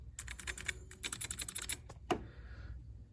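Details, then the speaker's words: Commodore SX-64 keyboard with replaced membrane: rapid key taps with a thin squeak on each press, then a sharp snap; membrane edge hangs into the hole and rubs the key post. "key this one's this one is really bad here how it squeaks normal squeaky"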